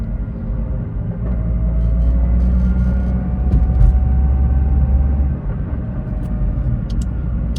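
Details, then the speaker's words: BMW M2 with DCT after fitting cheap polyurethane transmission mounts, in-cabin while driving: heavy low drone with gear engagement noise and faint rising gear whine as speed builds, stiff mounts transmitting gear noise into the body. "You can already tell the transmission is really stiff. It's making quite a lot of noises inside the car. It does kind of sound like you're sitting in a race car."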